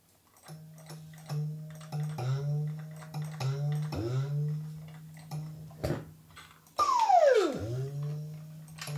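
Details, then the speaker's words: Dyson V10 cordless vacuum with new homemade 3000 mAh battery: motor surges on and off in short bursts, pitch rising and sagging, with LED alarm for clogged dust collector; normal with load cleared. "vibrate here an LED alarm has already appeared indicating that the dust collector is clogged"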